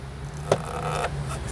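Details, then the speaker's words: Removed control arm flexed by hand: a short, dry rubbery creak from dry rubber rubbing on dry rubber in the worn bushing, causing excess tire movement and feathered tires; replacement recommended. "that's from dry rubber rubbing on dry rubber I don't know how well y'all can hear that but definitely going to cause some issues going to cause some noise going to cause excessive Tire movement"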